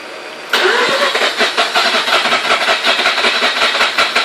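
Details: Mazda RX-8 rotary engine: the starter spins it over in a steady, even churn at a few pulses a second, but it never fires or catches. Cranks, no start.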